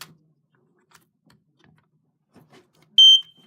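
Quiet room, then one short, piercing high beep at about three seconds; the alarm sounds normally on test.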